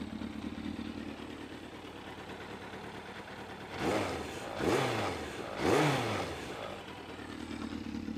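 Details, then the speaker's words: Yamaha FZS600 Fazer heard from the back: even, slightly clattery idle, then three quick clean revs with no misses or knocks, a healthy, racy 600cc exhaust note. "So, uh, yeah, it sounds good, right? I mean, you would not look at this bike and think that it sounds like that. It sounds like some screaming 600cc like racing bike."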